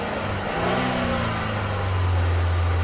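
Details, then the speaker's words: Buick Regal with 107,500 miles, parked a year, running poorly with only a 5V reference code: rough running with a busy internal rattle and uneven firing; suspected timing chain, later knocking, engine likely needs replacing. "because the motor is making noise I don't know if you can hear it you hear it that's that's not a rattle link it's like a loose Shield or anything that's internal in a motor like a timing chain"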